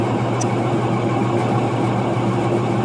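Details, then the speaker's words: Westinghouse washing machine on the spin cycle: a loud, steady rumbling roar with a constant low hum, from drum bearings damaged mainly by a failed seal. "es claramente rodamientos dañados por principalmente el daño del sello."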